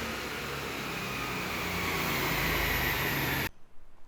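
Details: Cammed LS1 V8 Holden VY ute with T56 manual on a dyno: loud steady roar at high revs under full load, then sharp cutoff; strong even pull, no misses, made 274 kW, rev limiter raised to 6800.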